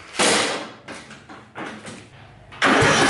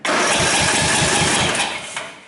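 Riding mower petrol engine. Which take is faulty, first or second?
second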